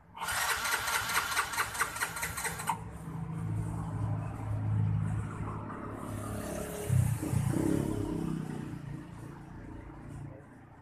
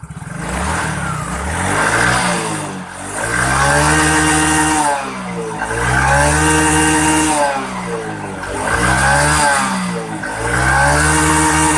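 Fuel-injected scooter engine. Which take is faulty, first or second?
first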